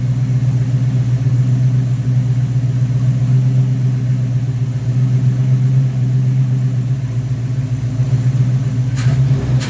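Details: V8 first start after rebuilding a 1969 Corvette's Rochester Quadrajet 7029202 carburetor (ethanol-damaged fuel bowl cleaned up): steady, even low idle rumble with a couple of quick throttle blips that rise and settle cleanly; normal idle.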